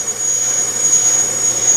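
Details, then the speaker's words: Bench brake lathe cutting a rotor: a piercing, steady high squeal caused by rotor vibration during the cut; a spring-type damper reduced it but did not eliminate it on this rotor. "hear that squealing noise that's actually a vibration"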